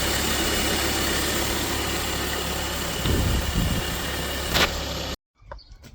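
Engine idles with a steady, even hum and no belt squeal or chirp.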